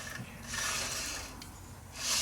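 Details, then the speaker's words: Truck wheel hub turned by hand gives a dry, hissing scrape that swells and fades with each turn. The bearing spins freely, so the owners suspect something spinning at the back, cause unclear. Scraping noise. "So, as far as bearings, we got something scraping on something."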